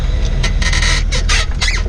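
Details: 2004 Jaguar XJ6 X350 driving: short squeaky creaks in uneven bursts from the rear suspension, like a broken bed; rear air strut replaced two weeks earlier, drop links and tie rods three months ago; owner unsure if strut or bushing.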